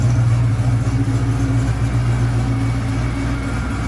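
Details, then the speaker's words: Camaro rebuilt 6.0 V8 with big Stage 4 Brian Tooley PDS cam, second startup after rebuild: deep, lumpy idle with steady rhythmic lope, oil pressure good, no ticking or knocking on top; healthy. "No weird noises. All right, guys, I don't know what to say. It's alive."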